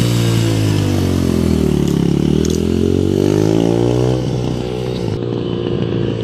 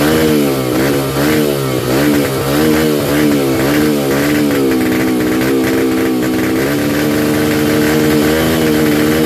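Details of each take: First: 2005 Yamaha 125cc dirt bike after fuel valve leak repair, yard test; idle piece broken, awaiting part: single cylinder revs smoothly through varying rpm, no knocks or misfires; sounds great. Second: 2005 Yamaha 125cc dirt bike started off a 12-volt marine battery, buzzing at fast idle with speed surging up and down every second or so; unstable idle, carburetor needed adjustment, fuel screw set 2 turns out from seated.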